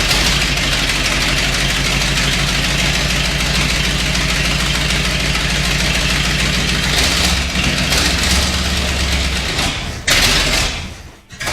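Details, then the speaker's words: 1979 Ford F350 one-ton, first start after about 15 years parked in a field; factory fuel pump primed with ATF, it died from running out of gas, then restarted. Low, fairly steady idle with slight unevenness, no knocking or stalling. "Well, it runs. Let's start it up again. That was it. Just running out of gas. It's running better already."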